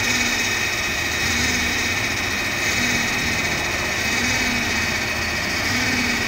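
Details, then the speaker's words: 2009 Subaru Forester, EJ253 2.5L, first start after a remanufactured engine swap: loud, uneven lumpy idle with a steady high whine over it, likely misfiring and throwing many codes; knock sensor suspected. "it's idling really rough I'm trying to figure out what's going on now because it's throwing many codes"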